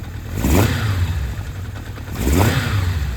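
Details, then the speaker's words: Kawasaki Zephyr 750, slightly cold, after carb rebuild and ignition coil replacement that cured a dead cylinder 2: even, steady four-cylinder beat with two clean throttle blips, smoking; all cylinders firing, healthy running. "Does that sound like 4 cylinders? It does, doesn't it? She's a runner."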